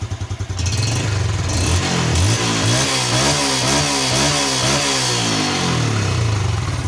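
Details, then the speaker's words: Yamaha Jupiter Z1 kick-started with battery removed, rewired with Satria FU regulator: single-cylinder thump picks up after the kick, revs rise and settle into even steady running; engine runs normally. "kita hidupkan dengan menggunakan engkol aki sudah dilepas nih ya Aki sudah dilepas kita pakai engkol"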